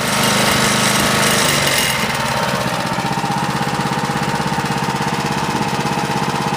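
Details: Honda HR214 mower, smoking after start: single-cylinder drops from high revs to quick, steady popping idle around three beats a second, running evenly; normal idle.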